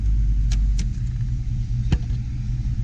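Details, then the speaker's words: 1992 Ford Mustang GT with new cold air intake and bigger throttle body, relearning after first start: revved to about 2,000 rpm, dropped to 1,000, now a low, steady V8 idle around 750 rpm, no misses or knocks; healthy idle. "Brought itself down to 1,000, and now we're sitting at about 750."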